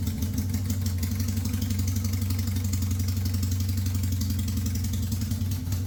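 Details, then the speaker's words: 1971 Honda CB750 K1 quad-carb cafe racer after a coil swap, vacuum sync ports open: steady, fast, even four-cylinder idle with no misses, sitting high because of vacuum leaks. "so it's going to sound high idle because of the vacuum leaks"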